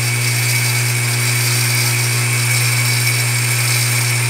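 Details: Water pump that cycles off every 4–10 minutes, kept outdoors with water entering the winding, drawing about 6.6–6.7 A: loud steady low hum with harsh rushing noise; overloaded motor heating up and tripping the thermal protector.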